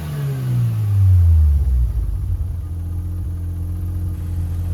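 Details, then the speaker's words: Mazda 13B rotary with Racing Beat intake and FiTech EFI in a Willys Jeep, hot restart at about 180 degrees just after the fan kicked on; catches, revs up, drops to a steady even idle within two seconds, no stumbling, normal hot start. "It's up to like 180. The fan just kicked on. I shut it off, so I'm going to show you a hot start."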